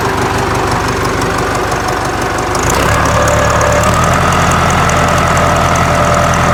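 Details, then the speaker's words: Ford 4040 industrial diesel tractor, cold start after rebuilt injectors installed, valves lashed cold: steady even clatter at idle settling into a smooth regular beat after a few seconds, little smoke; healthy running. "now i've ran it some so we'll give it a shot here yeah it sounds pretty good now"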